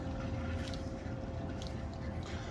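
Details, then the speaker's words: Condensate pump switching on while a water heater's temperature and pressure relief valve is being installed: a small motor hums a steady mid tone under a low rumble with light clinks. The pump is running normally. "condensate pumps going off"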